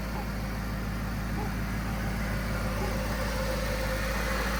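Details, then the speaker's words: SRT8, flood-damaged, first start after new fuse box, cleaned grounds and replaced starter; deep steady even idle rumble, no knocks or misses; engine sounds good, normal idle. "It started. Oh my gosh. Dang it, I'm so bummed we didn't get that on camera. Engine sounds good."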